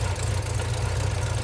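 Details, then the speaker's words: Ford Fox body Mustang V8 first start after sitting: idle loping unevenly with lumpy irregular low pulses, a bit ticky; suspected bad misfire, possibly cam, not confirmed. "It may just be a horrendous misfire. But it sounds like it has a cam. But I think it's just a misfire. This thing sounds choppy"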